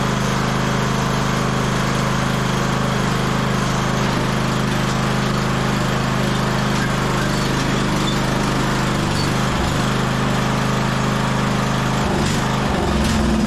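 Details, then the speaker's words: 1998 MTD Yard Machines lawn tractor, 15.5hp single-cylinder, off choke: loud drone with uneven lumpy beat, better at full throttle but won't idle; dirty carburetor suspected. "but to me that sounds like it probably has a dirty carburetor no surprise right uh it seems to be running a lot better on Full Throttle it was off choke which was good but uh yeah it didn't really want to idle there"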